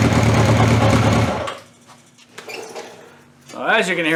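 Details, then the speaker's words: Cold start on a 1981/82 Honda CB750 K four-cylinder with five-year-old oil (300 miles) and old, stale fuel; fuel tap left off, so it runs lumpy, stumbling, sagging and picking up, then dies away; stops stumbling once fuel is turned on. "it stumbles and fumbles and everything else and then that first I forgot to turn a gas on again but yeah well no big deal and then uh once I turn to gas kind of quit stumble and fumbling with it"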